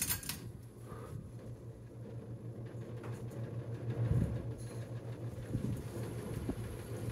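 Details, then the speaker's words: 28-inch Harbor Breeze Summit ceiling fan on high speed: low steady hum with a loose, uneven rattle; blades unsuited to the fan causing imbalance, rattling at high speed. "it rattling. Yeah, there it is."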